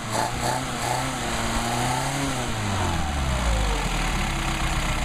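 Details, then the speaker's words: Solex carburetors for a Mercedes 190SL under test: engine note rises briefly with the throttle blip, then sinks smoothly back to a steady even idle without hunting; idle unchanged, carburetors running right. "There we go. Snapped on, idle didn't change."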